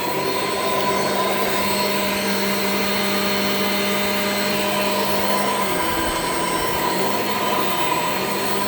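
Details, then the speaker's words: Shark Infinity Pet Care upright vacuum in carpet mode: steady high motor whine whose tone sags and wavers near the end; motor sounds rough and strained, and the owner thinks it is going out. "the motor doesn't sound very good as well it sounds like it's going out so I probably won't be able to run this for too long but it should last long enough to do living room vacuuming"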